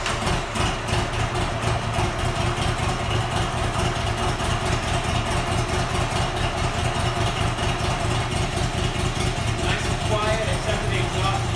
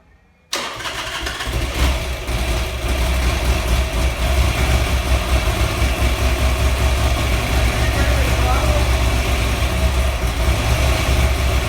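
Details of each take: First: Buell XB12R V-twin after rebuild, about 100 miles since, no check engine or oil pressure lights: even, lumpy idle holding steady speed with no knocks or rattles; engine runs healthy. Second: Buell XB12R V-twin on its first start after rebuild (earlier found water in the engine): catches after a brief crank, heavy slightly uneven low thump; rough first start.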